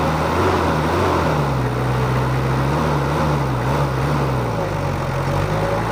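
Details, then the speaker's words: Mitsubishi Kuda diesel idling after nozzle replacement and servicing: smooth, steady, low chug with an even beat, neither harsh nor dry. Healthy normal idle. "akhirnya kita cari ini yang kita dapat suaranya halus enggak terlalu kasar atau kering sudah pas"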